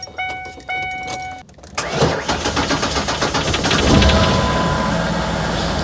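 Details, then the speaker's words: 2003 Ford Explorer with crank-no-start (P0232 fuel pump secondary circuit) after resetting the tripped inertia switch: door chime, short crank, catches within a second and settles into a steady, smooth idle; normal start. "There it is. That was it. That's all it was. It was just the inertia switch had been tripped."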